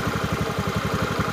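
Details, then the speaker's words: Honda BeAT scooter at idle after its clutch shoes were patched with old brake lining rather than replaced: steady single-cylinder pulse with a faint rubbing, as the new lining nearly touches the clutch bell; the wheel can still be turned back and is not stuck. "Kampas kopling hampir menyentuh lonceng kopling. Tapi masih bisa digerakkan mundur, bro. Tidak tersangkut."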